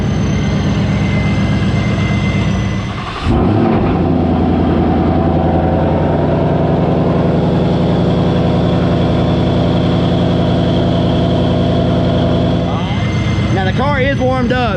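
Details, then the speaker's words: 2021 GT with Vortech V3 JT-trim supercharger, Heritage straight-cut gears, warmed up: idle then two sharp revs, high whine climbing and falling with engine speed over deep rumble, normal but much louder than quiet gears. "This is the heritage gear, so it's a lot louder. If I was going to go with one, I would go with this one."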